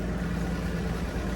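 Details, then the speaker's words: Slant six Dodge Dart sitting since 1992, just revived, alternator removed, possibly running hot: low, steady idle hum with an even beat and no misses or knocks; normal idle. "oh yeah listen to that slant six pair that smoothest [Laughter] i did not think it was going to run that well not even almost"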